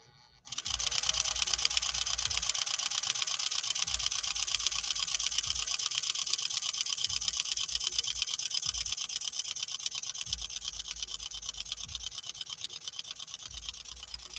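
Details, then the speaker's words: 1940 Singer 201-2 straight-stitch sewing machine with auto zigzagger on normal cam, stitch length 15–20 per inch, sewing cotton with a leather needle: fast, even needle-bar ticking at constant pace, no knocks or grinding; runs smooth and free. "let's see what we get this time and then maybe what we'll do is we'll try changing the cam out all right here we go listen to this machine run here we go"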